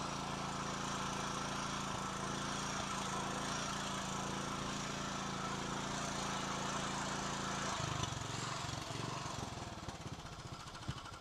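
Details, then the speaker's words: Kawasaki 9 hp single-cylinder tractor engine running again after the spark-plug fault was found, cracked plug ceramic still fitted: steady idle, then throttle raised, holding speed evenly; small adjustments and a new plug still needed. "Le ralenti. Là, il le met en accélération, mais bon, je crois qu'il a encore des petits réglages à faire."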